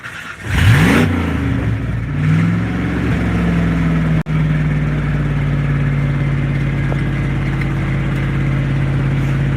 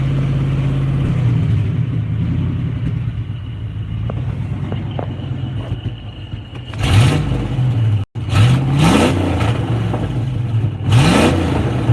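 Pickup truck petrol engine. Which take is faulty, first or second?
second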